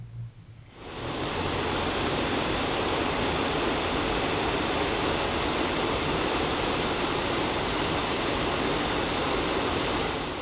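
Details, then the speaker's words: 1966 Ford Galaxie 500 convertible heater blower motor after fix, dab of RTV on a hole at the back: steady, even rush of air with no squeal, tick or scrape; no more noise, normal blower running. "no more noise I just put a dab of RTV on that hole on the back I made sure didn't go in the hole"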